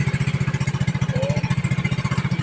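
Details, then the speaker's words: Yamaha Mio Sporty scooter, tested by squeezing both brakes. Crisp single-cylinder putt at about eleven pulses a second, steady without stumbling or dying. Normal running. "po nague niyan battery niya mahina tapos regulator niya Hindi nagana kaya pag pineo namamatay ngayon okay na goods na"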